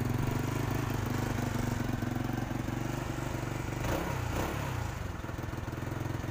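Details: Motorcycle single-cylinder engine after a dead spark plug was revived at the roadside and refitted. Steady, even idle putter with no misses or stumbling. It fires cleanly, though the plug's durability is not guaranteed.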